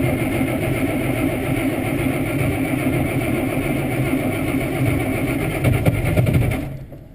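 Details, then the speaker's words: IH 1086 diesel tractor cranking on a mid-20s morning with snow, fresh 30-weight oil: slow, laboured cranking for about six seconds without catching; thick cold oil makes it hard to crank. "it's got fresh 30 weight oil on it it was just changed basically a month ago so 30 weight oil is what makes them a [ __ ] to crank when it's cold too"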